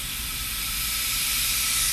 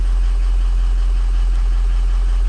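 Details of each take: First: Ford Powerstroke diesel with ARP head studs, puking coolant, coolant cap under pressure test: a sharp steady hiss and pop as the cap vents at 20 instead of its 25 rating; the cap is releasing early. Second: Ford Powerstroke diesel with ARP head studs, losing coolant, ICP reading about 0.16 on cold start: deep steady idle with even low rumble, no misfire or knock; injectors sound healthy; normal cold-start idle.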